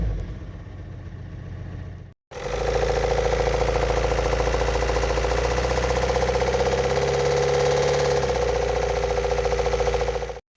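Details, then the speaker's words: 2006 VW Golf Plus 1.9 TDI (EA188) with 209,000 km, a full DPF and lost power; when revved it makes a steady hard tapping from worn hydraulic lifters and a worn camshaft. "Но самое другое, на что обрати внимание, когда даёшь газу, мотор работает ненормально. То есть неприятный звук, который вы в видео видите."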